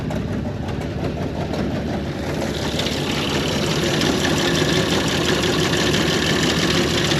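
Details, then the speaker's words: 1930 International fire truck six-cylinder: uneven, stumbling beat about three pulses a second; seems to run on about four of six cylinders despite cleaned, swapped plugs; owner suspects plugs or plug wires, not confirmed. "if you heard that uh it just sounds like it's missing on a couple cylinders but I think it's only running on like four cylinders out of the six"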